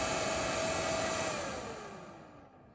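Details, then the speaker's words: Nankadf (Wanptek twin) 120V 3A bench power supply: loud airy fan rush with thin whine dropping as it spins down; the periodically switching cooling fan is too noisy, a defect. "że on coś jakiś czas się włącza ten wiatrak Niestety ten wiatrak jest hałaśliwy"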